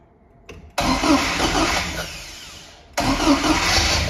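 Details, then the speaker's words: First start of a 1979 Ford RS2000 Pinto engine after fitting a new billet alloy distributor and new leads, with static timing roughly set and no throttle cable. It catches first try and idles smoothly with good oil pressure, no tapping and no smoke. Normal start and idle. "it's making good oil pressure and sadly a pinso engine always sounds awful in a on an iPhone so in real life it sounds really good no tapping no smoke making brilliant oil pressure happy days"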